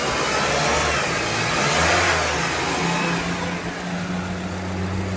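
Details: 2009 Mitsubishi Outlander at the shop after repair of a loud cracking engine noise in the bearing/belt area: engine revs smoothly and settles with steady low tones, no knocks or squeals, now running healthy with no noise.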